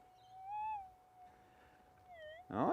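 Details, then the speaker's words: AlgoForce E1500 Plus gold detector in the Whipstick, where power lines cause heavy EMI. After ground balancing over the spot, quiet warbling tones persist over hiss, then a scrape; remaining chatter may be a metallic target or ground noise. "But if it's a metallic object, guys, we're still going to hear it. Exactly. Right. We still got a little bit of a chatter coming out of there."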